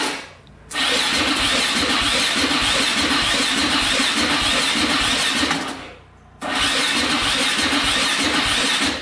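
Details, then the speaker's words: 2004 Yamaha Raptor 660 quad, rough, first electric-start attempts after battery connected and neutral light on: two even crank-and-catch runs, clean rhythm, no knocks, grinding or weird engine sounds; healthy. "Okay, awesome. It actually sounded pretty good. I didn't hear any weird sounds or anything from the engine."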